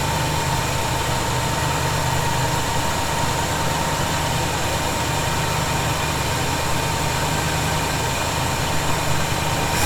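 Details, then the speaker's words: 1971 Chevy C10 V8, cold start idle after snugging up loose bolts suspected of a noise: smooth steady low idle, even rumble, no hiss or whistle; owner thinks tightening may have been the answer; normal idle. "I'm not hearing it right now that may have been the answer you know I still didn't crank those down really hard"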